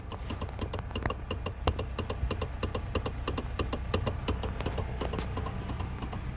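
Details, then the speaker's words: 2012 Toyota Camry SE electric power steering, microphone underneath while turning the wheel: fast uneven clacking about three knocks a second from worn rubber dampers/bushings on the steering motor shaft, to be replaced. "You can hear that clickety clack, clack, clack, clack, clack, clack. Yep. It's gonna be this part right here. It's bad."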